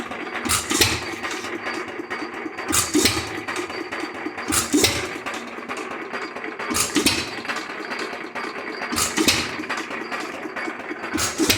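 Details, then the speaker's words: Lauson 2hp hit-or-miss engine, first run after cam gear replacement: sharp firing bang about every two seconds with quiet coasting between; crisp regular hit-and-miss cycle, running properly. "all right everybody we forgot to document very much of it but by golly the old Lawson runs he's off and"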